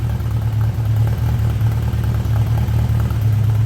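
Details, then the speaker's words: 1979 Honda GL1000 Gold Wing flat-four just after a cold start, following valve seal replacement for excessive smoking; deep, even idle with steady firing, no misses or ticking; no smoke; normal idle. "so far so good this is going to be an awesome running bike"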